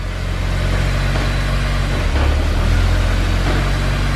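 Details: Honda S2000 after Clutch Masters FX300 clutch and Honda release bearing install: steady, even low rumble at idle with no knocks, ticks or misses, brief starter hang-on noise after start; normal idle.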